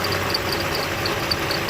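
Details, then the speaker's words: Toyota Avalon idling, squeak loudest in Drive: quick high-pitched chirps, four to five a second, over steady idle; belt dressing did not help, owner suspects belt tensioner and plans to replace it. "well yeah that's the squeaky noise that I hear it again it's very annoying at times especially when I have it in Drive when I pull up at the drive-through to order some food or whatever it gets really loud and very annoying"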